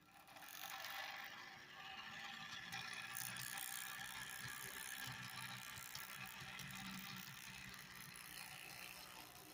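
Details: Bachmann Spectrum GP30 HO-scale model locomotive running on a sound test: a busy mechanical motor whir with uneven rattling ticks about four a second, showing motor noise, vibration and rattles; cause not determined.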